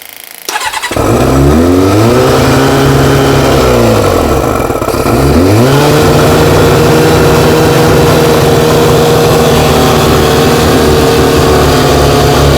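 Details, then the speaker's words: Four-cylinder carbureted bike, first start after fuel pump primed with no air restriction fitted, owner playing with choke: catches quickly, blips twice, settles to smooth steady idle; works, doesn't smell as bad; normal start and idle. "playing a bit with the choke yeah but it works it doesn't smell as bad either"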